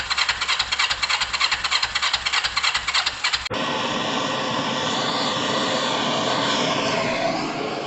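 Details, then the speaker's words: Kawasaki ER5 after carb work and second new ignition coils: fires in uneven lumpy pulses about three a second then loud hiss; runs unhappy, better with a squirt of fluid; owner suspects carb change or timing jump. "Now we've definitely got it running, okay? We definitely got it running. It doesn't feel overly happy. And it runs better with a squirt of fluid."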